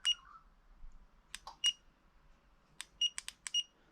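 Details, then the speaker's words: Spy 5000 two-way motorcycle alarm after installation: short high chirps in uneven singles and pairs on remote presses but no arming; alarm works but fails to arm, possibly ignition sequence related. "the alarm's working it's just not setting"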